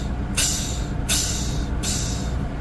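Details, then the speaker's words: 2024 Freightliner S2C bus idling on diesel with fast idle on: three sharp air hisses about three-quarters of a second apart as the rear kneel system vents air instead of lowering; an intermittent fault, warning light flashes. "now what I don't like about this is sometimes it doesn't work and this light flashes and it just makes uh like hissing sounds"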